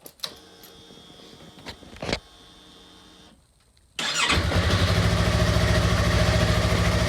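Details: 2016 Yamaha R3 first start after oil and filter change with 2.5 quarts of fresh oil: a few starter clicks, then the engine catches and settles into a steady, even idle beat with no knocks or rattles.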